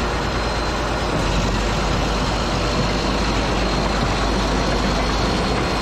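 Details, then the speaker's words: Caterpillar D8H bulldozer diesel after sitting 15+ years, revived and idling: steady, even low rumble with no knocks or misses, running good; water still dribbling from carburetor earlier, higher gears untried. "you guys hear that thing that makes me a happy guy it's running good"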